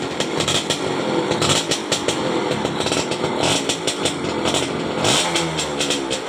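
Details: 2004 Yamaha F1ZR two-stroke after fixing a broken black ground wire so the key switch now shuts it off; buzzing with quick, even revs, no misfire or stumble; engine runs normally.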